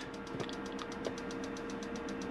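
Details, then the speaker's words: Dometic fridge with freezer box in an Autosleeper Ascot motorhome running on gas: rapid, even sharp ticks, about eight a second, until the burner lights; normal gas igniter clicking. "using the fridge than gas so you'll hear it clicking in the background until it lights on gas which it has there"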